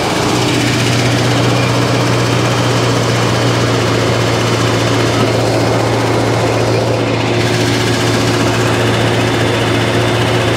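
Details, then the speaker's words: 1955 Chevy Nomad V8 with HEI ignition idling with oil pressure, coolant and thermostat in; loud steady low rumble with an even beat, no miss or knock, running on all eight cylinders, nothing burning. "Anyway, it runs, has coolant in it, has a thermostat in it. Sounds like it's running on all 8, nothing's burning."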